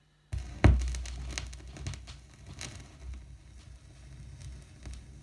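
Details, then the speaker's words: Rod Stewart "Every Picture Tells a Story" vinyl before cleaning: irregular clicks and pops crackle over a low rumble. This surface noise from a dirty record persists subtly under the music and between tracks. "that's is noisy so yeah it is pretty noisy and you can take it from me that it that persists right the way through the record sort of subtly under the music"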